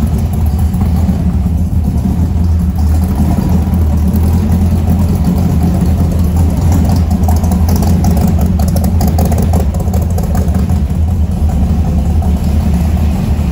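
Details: 1970 Ford F100 truck with newly done exhaust, warming up at idle: loud, deep, steady burble with even beat, no ticks or leaks; healthy idle, though the alternator seems not to be charging.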